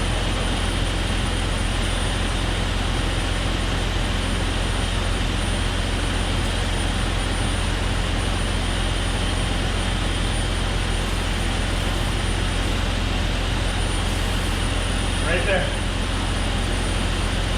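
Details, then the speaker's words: 2001 Jeep Cherokee XJ 4.0L idling with a loud rushing hiss and thin whistle from a vacuum leak that had worsened; water spray didn't help, but a thumb over a cracked vacuum fitting stopped the noise; fitting needs replacing. "I stuck my thumb right there and it made a it stopped the noise so you could hear it hissing maybe so that's definitely my issue right there"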